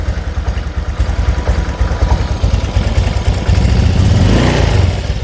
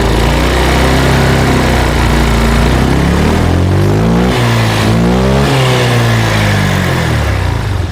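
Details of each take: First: Honda Vario 125 (first KZR series) after engine rebuild, idle then gentle throttle: uneven puttering that stumbles at low rpm but runs fine at full throttle; injector, TPS or fuel pump suspected as cause. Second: Honda Vario 125/150 scooter after fixing low-rpm hesitation traced to the injector: pulls cleanly from 1500 to 3000 rpm and settles back without stumbling or surging; normal running.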